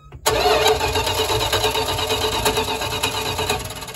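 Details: 1974 Dodge B300 Winnebago Minnie Winnie motorhome with a 360 V8, back on the road after 27 years parked. Starter spins the engine steadily for several seconds but it never catches. No spark: the coil has power but apparently no ground signal.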